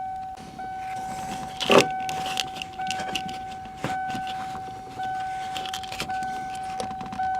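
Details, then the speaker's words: 1992 first-gen Ford Explorer after fuel pump replacement via floor access panel, key cycled on and off: steady fairly high electric hum stopping and restarting about once a second; normal fuel pump prime. "all right, on, off, this is fuel pump prime, okay, again, off, one more time."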